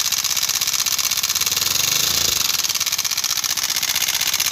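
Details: CD-70 70cc single-cylinder motorcycle engine at idle: fast metallic chatter, about four ticks a second, on top of the idle, diagnosed as a loose timing chain rattle.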